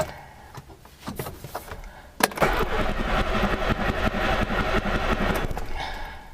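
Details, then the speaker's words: Motorcycle (GS) out of storage, key start in garage: starter cranks steadily about three turns a second but never fires; cranks but won't start, owner expects a jump start is needed. "guessing that's a no because it normally starts by now she was gonna need a jumpstart"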